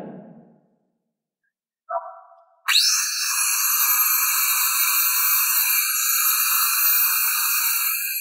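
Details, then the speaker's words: Old CM4SB marble cutter after repair with new field coil, armature and gear set, greased: after brief start-up the motor settles into a steady, even high whine with no knocks or grinding, running smoothly. "is running very smooth after installing our gear set etc."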